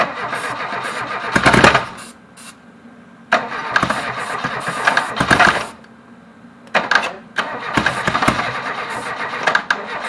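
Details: Reliant Robin on first start attempt: several short cranking bursts with quiet gaps and no firing; engine getting no fuel, later fuel poured in.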